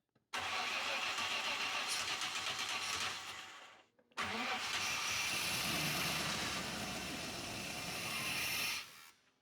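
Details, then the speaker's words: 1987 Chevy C10 with 305 V8, seized plugs and snapped distributor screw: two long cranking bursts, engine barely catching; hard start with loose, wobbling distributor. "Did y'all see that distributor moving? It fired up though. It was good. Try it again, but that distributor is nervous as heck cuz it's wobbling."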